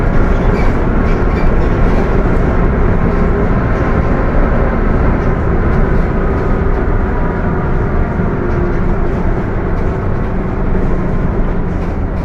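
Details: Mercedes-Benz OF 1721 BTC 5 bus (Apache Vip IV body) while driving: loud, steady growl with a constant whining tone over engine and road rumble; transmission growling loudly, worn noisy gears.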